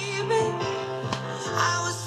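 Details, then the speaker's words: Vega Selena B-217 tube radio after capacitor repair to its previously absent FM: clear loud music and singing with slight distortion at peaks; strong stations received, FM restored though not fully clear. "all the stations that I expect to find strongly on here are coming through loud a little bit of distortion I must admit not as clear as it should be but the FM is back"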